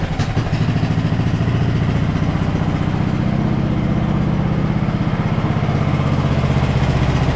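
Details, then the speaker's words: 2014 Ariens (Husqvarna) 42-inch riding mower with a single-cylinder engine, first start after a third flywheel was fitted and fuel was added down the throat. An even, steady thump at about four beats a second with no misses; smooth normal idle. "wow that is running incredibly smooth H success finally"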